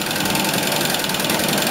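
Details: Inch-scale single-cylinder steam engine driving a gypsy winch head on compressed air, pulling a vice across the shop floor: rapid, even chuffing beat holding steady under load, no knocks or missed strokes; normal running under load.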